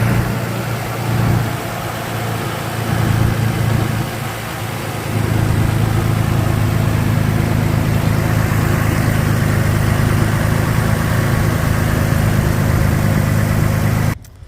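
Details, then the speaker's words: Car idling after installing a K&N cold air intake tube with drop-in filter, no check engine light: smooth, low hum under the hood settling after a couple of light swells, no hiss or stumble. "engine started so far no uh check engine light so that's good now we'll just listen to what it sounds like under the hood"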